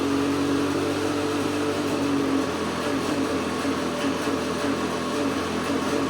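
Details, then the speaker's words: KTM 250SX two-stroke in a 2009 Outlaw 525 quad, idling in neutral on first fire-up in weeks. Sounds crisper but the idle hunts and wobbles; the owner suspects an air leak, possibly the power valve not rebuilt with O-rings. "say that it sounds crisper, but do you hear that little fluctuation in RPM? It almost makes me believe that it is getting a little bit of air somewhere."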